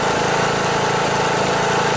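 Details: Briggs & Stratton Intek single-cylinder riding lawnmower engine running with a rough, chuffing knock and puffing through the beat, a sign of a blown head gasket.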